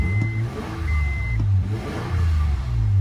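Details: 1999 Acura 3.0CL at idle: starts right up with a smooth, quiet low idle and an even rise on the blip, no ticking or exhaust leaks, chime beeps over it; engine sounds healthy.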